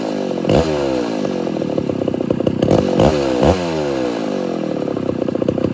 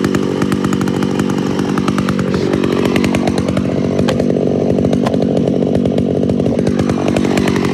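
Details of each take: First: Homelite Super XL-925 82cc vintage two-stroke chainsaw, governor blocked off, dull chain with shallow rakers: revs surge and sag unevenly with sharp blips; too lean on low-speed circuit, richened about a quarter turn. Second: Homelite Super XL-925 82cc vintage two-stroke chainsaw, governor blocked off: crisp steady buzz holding speed with no stumble or bogging; runs and sounds good.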